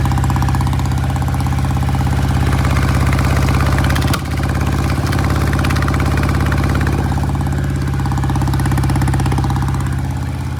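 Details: 1968 BSA vintage twin motorcycle, cold, just kick-started before test ride: uneven lumpy idle with a stumbling beat and brief dip, one lazy cylinder, won't idle well; cause suspected, not confirmed.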